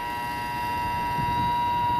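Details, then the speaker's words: Condensing unit being assessed for repair or replacement, compressors not running: steady even electrical buzz with no blade whoosh, motor powered but seized and not turning. "Now obviously with our compressors not running, we're not going to have any discharge pressure, so that is why I'm assuming this condensing fan motor over here is off."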